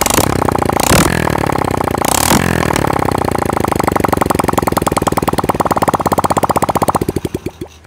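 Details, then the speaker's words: Honda Supra Fit motorcycle that smoked badly, after replacing the valve stem seals and correctly re-fitting the piston rings: steady even idle with no misses or knocks and no smoke, then switched off; normal running. "Oke teman-teman sudah e mantap enggak ada asap lagi yang keluar ini sudah kita pastikan e sukses"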